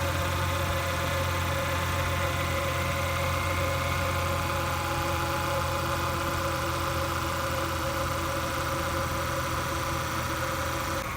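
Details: Ford power steering pump at idle after a fluid flush with ATF: engine idles smoothly with an even low hum, and the earlier pump whine is gone.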